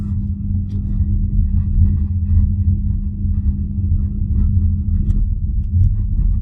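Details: BYD Atto 3 electric car between 20 and 32 km/h: a steady low abnormal hum drones under the low-speed pedestrian warning sound, with no clear rise or change.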